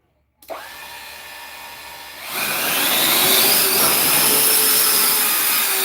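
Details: Custom 3D-printed 70mm EDF quadcopter, brand-new brushless motors: spool-up to a loud hissing high whine with a rough uneven edge; left rear motor suspected bad, possibly 4S motors supplied by mistake, then debris found inside the motor.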